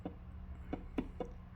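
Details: Original Fender Vibrolux Reverb amp, probably from the 1970s, that makes bangs and pops after a while, valves tapped with a chopstick: each tap gives a short ringing ping over faint hum; microphonic preamp valve, two preamp valves faulty.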